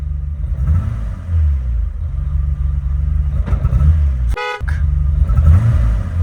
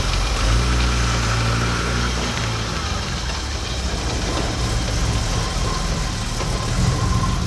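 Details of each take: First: BMW E28 535is (M30 straight-six) stuttering with a small misfire at low RPM, its deep rumble stumbling and surging unevenly, with a brief horn toot; later traced to ignition wiring, which was replaced. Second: BMW E28 535is six-cylinder after ignition wiring replacement, fully warmed up: steady, even low-rumble idle with no stumble; earlier choppy exhaust and low-RPM misfire, mostly when hot, now gone.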